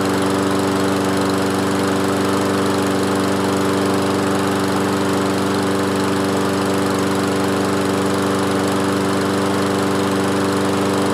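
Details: Toro Recycler 22-inch mower, single-cylinder Kohler with automatic choke, after repair: loud even drone, steady pitch, no misses or surges; normal running.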